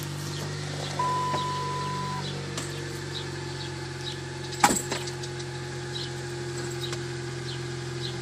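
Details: Dodge Caliber SRT4 at first cold startup of the day, idling: steady high whine plus a brief higher tone, with one sharp clunk midway; cause unidentified.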